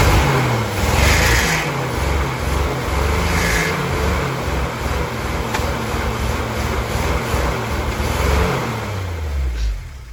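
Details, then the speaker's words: 1962 Willys pickup, 226 engine, sat two years, carb rebuilt, still cold: uneven loping idle with irregular stumble about once a second, smoking; low compression in number three cylinder, oil added, still not right; rough idle. "still not great as you can see she's smoking but we did put oil in number three cylinder so uh it's gonna take some time to play around with it and see uh see what else it still needs other than that issue with the low compression and number three"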